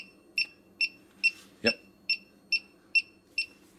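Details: Elitetech WJL-6000 halogen refrigerant leak detector, newly switched on with four AAA batteries in a quiet room: steady, evenly spaced high ticks about 140 a minute; normal idle rate with no refrigerant present.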